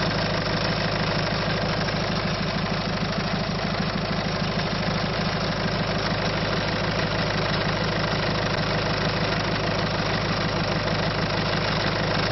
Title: Bruit moteur 1.6 HDI - صوت فى المحرك